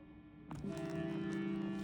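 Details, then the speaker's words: Traynor YCV40 tube guitar amp bought used, before cleaning and the speaker swap: a steady low hum with a higher second tone. Owner suspects interference from the computer in the office and later hears it less. Amplifier hum. "I've never had a legit tube amp before, so there is some sort of hum. You probably could have heard it."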